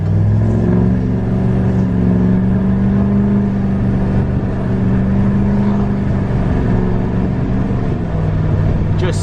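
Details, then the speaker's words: 2020 Duramax L5P diesel accelerating with strong steady drone, no hesitation or lag, shifting perfectly, slight smoke in 2 and 1; injectors were causing earlier issues; normal healthy acceleration. "so much more healthy as you can hear and see it's shifting perfectly there's really no lag to this now"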